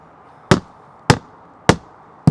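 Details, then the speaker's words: Hammer tap test on a boat transom gives four dead, low thuds with no ring, showing a completely rotted transom; a sound transom gives a solid ping. "now I'm going to show you what a bad transom sounds like it's a thud"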